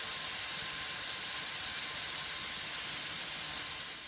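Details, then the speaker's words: CPAP machine blower running after replacing a cracked impeller with a 3D-printed one, fan not yet balanced; smooth airy rush with a faint, steady high whine holding pitch, spinning freely and working well. "fire it up she's whining a little bit i haven't balanced the fan yet but uh it's working excellent and to be honest the line isn't that loud at all"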